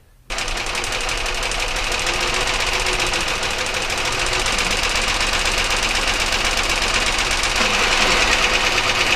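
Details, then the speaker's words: Engine running with a sharp rapid knock, about four per second, unchanged as plug wires are pulled one at a time with a spark tester; source still unclear. "alright well doubt that i'm going to be able to even tell whether there's one or two knots per flash but maybe you guys are a little better at it than I am"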